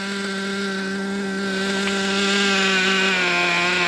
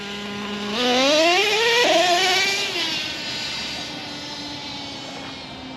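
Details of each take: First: Traxxas T-Maxx nitro RC truck at idle: a thin, fast buzzing that sags and wavers in pitch, sounding ready to die. The idle is set too low; only the low-speed needle is to be touched. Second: Traxxas T-Maxx nitro RC truck after idle adjustment: crisp high buzz climbing and falling smoothly with throttle, no misses; the motor is broken in and running smoothly.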